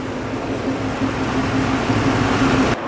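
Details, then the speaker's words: Car engine after new battery, previously stalling and not idling, with rusted-through muffler: IAC valve position reset, now a steady, even idle with a low drone, no misses or stumbles; settled and running smoothly. "I guess it was the the iak position was off so I reset it now she's idling pretty good"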